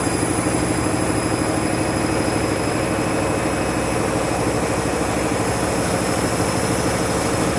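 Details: Washing machine spinning after a reset because it wasn't heating, never seen before on this washer: loud steady roaring rumble with rough churning beat throughout; violent abnormally hard spin, cause unknown.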